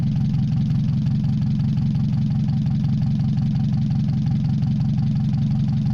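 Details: Mazda 626 first start after cylinder head reassembly, warming up, rest of exhaust not connected, oil overfilled: deep lumpy idle, uneven pulse about once a second, heavy shake. Owner suspects O2 sensor misreading open exhaust, possibly old gas. Rough idle.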